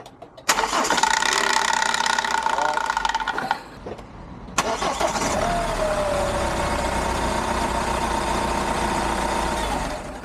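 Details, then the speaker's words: Hyundai iLoad D4CB diesel, reconditioned engine one year on: cranks and catches quickly, shuts off and restarts, then revs smoothly from 1000 to about 3000 rpm with an even clatter. Solid, no rattles, a normal healthy diesel. "okay so that was uh three starts riving it from 1,000 up to about 3,000 um it sounds good sounds like a motor should sounds uh powerful sounds uh solid I can't hear anything rattling too much or anything"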